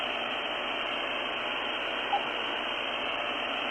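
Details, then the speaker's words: Luiton LT-310SDR CB radio on the bench, no signal: constant loud hiss, high static noise floor that would bury weak voices — high static noise floor. "till have quite the static floor there. It's quite the noise floor."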